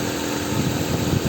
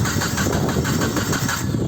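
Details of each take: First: 1996 Nissan Altima after crank-no-start with code P0340, fixed by replacing the distributor; steady, even, smooth idle with no misses or knocks, engine running cleanly after repair. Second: 1996 Nissan Altima cranking: steady rhythmic cranking that never fires, no spark and no tach movement, cam or crank sensor suspected; crank no start, no spark.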